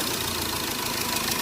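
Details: Hyundai Verna at idle: fast, light metallic rattle chattering over a steady idle; timing chain noise.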